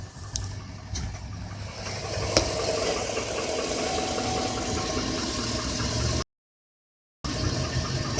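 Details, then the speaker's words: 2007 Chevrolet Avalanche idling, shifted into drive or reverse: light, rapid clicking about three per second that follows engine speed over a rough idle; judged internal rather than a lifter. "It's not lifted. No, it's something running inside the engine."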